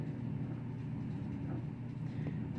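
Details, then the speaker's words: Auertech 28lb mini twin tub portable washing machine draining: steady low drain pump motor hum with no water flowing; pump struggling, owner suspects it needs priming. "i don't know if you can hear that there's something trying there is a pump in there but it's not doing too well what if it just needs to be primed"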